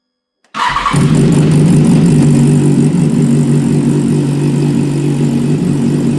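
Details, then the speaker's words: BMW S1000RR inline-four that sounded like a tractor from a heavy misfire, after replacing a fried ignition coil pack; fires instantly and settles into a smooth, even, steady run with no misfire stumble; issue solved. "Issue is solved."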